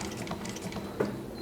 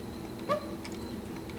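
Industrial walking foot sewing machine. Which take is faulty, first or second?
second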